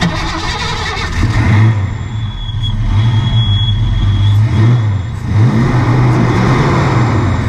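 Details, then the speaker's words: Ford Fox-body Mustang at idle just after new spark plugs fitted: lumpy, uneven idle with wandering low beat and surging revs; runs slightly better but still rough, owner suspects a leaky injector, not confirmed. "Guys, runs a little better. Still got some issues. I think we may actually have a leaky injector."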